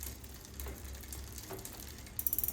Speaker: all right so i just went up another gear you can hear on the lever when i clicked but it's not going up you can hear it kind of ticking there